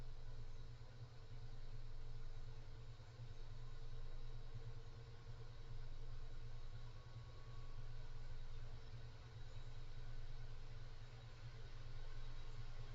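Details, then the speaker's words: Cooler Master Mobius OC 120 case fan at maximum speed: constant airy hum with faint steady tone, gently swelling and fading; fairly noisy, with a significant airflow cone and several harmonic resonances noted. "so that's the maximum um this one is kind of noisy to be honest and it does cone out like like this it's a fairly significant cone so keep that in mind"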